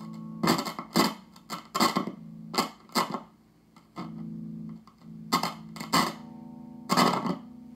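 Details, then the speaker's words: Fender Twin Reverb on the bench, tested through an auxiliary speaker, with a complaint of a deep whirring noise coming out of standby: tapping the second preamp tube sends a ringing clang and hum through the speaker; that tube is microphonic. "this one this one right here very microphonic second tube why it why it microphonic"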